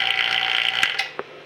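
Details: AC vacuum pump used before an R134a recharge: a steady, light, high-pitched whir with no knocking or rattle, then it cuts off. A quiet, healthy pump running normally.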